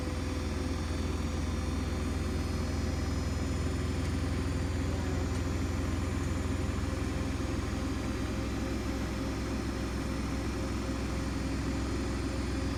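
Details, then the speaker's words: New Hoover DXC C49W3 Dynamic Next 9 kg washing machine spinning a half load, measured near 80 dB. It makes a loud, steady low roar throughout the spin, excessive spin noise of unknown cause. "and that doesn't justify that kind of noise cuz that's like barely a half load and this is supposed to be 9 kg"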